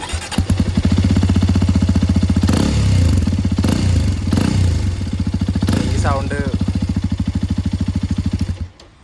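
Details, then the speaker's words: Hero Xpulse 210 Pro variant single-cylinder motorcycle, owned a few months, exhaust recorded on phone: crisp even thumping near four beats a second at idle, swelling smoothly on throttle blips; healthy silencer note, owner's favourite versus old bike. "പറയാനുള്ളതെന്ന് വെച്ചാൽ പഴയത് വെച്ച് compare എനിക്ക് ഏറ്റവും ഇഷ്ടപ്പെട്ട ഈ സൈലൻസിൻ്റെ സൗണ്ടാണ്."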